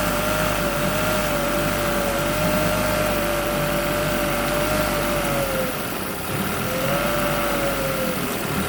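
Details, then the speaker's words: Yamaha T9.9 outboard in water bucket after cold start using home-made knob choke over intake: steady, even buzz with one brief rev dip that recovers cleanly; running smoothly. "We've had problems with it starting cold. I usually have to put my finger right here over this intake to get it to start. And then once it started, it runs great."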